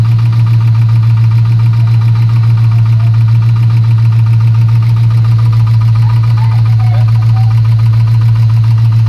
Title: LS1 Camaro engine knocking sound